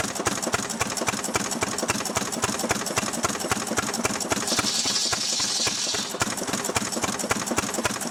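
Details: Restored 6hp Fairbanks Morse Model Z stationary engine on kerosene driving a buzzsaw cutting firewood: steady, evenly spaced thumping around 220 a minute, holding pace as the saw hisses through wood; normal healthy running under load.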